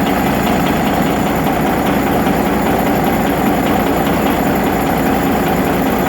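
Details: Rebuilt Detroit Series 60 diesel idling heavily with a steady, rapid knock over the low rumble; one injector was adjusted at a lower rate and is knocking.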